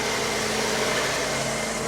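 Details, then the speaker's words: 1994 Ford F150 V8 after a replacement fuel injector was fitted for a single-cylinder misfire, started cold: a steady, even idle with a smooth hum and no stumble or miss. "A little bit, but it sounds better already."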